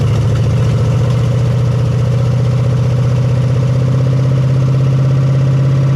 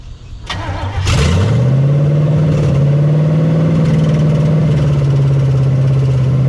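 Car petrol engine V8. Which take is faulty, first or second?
first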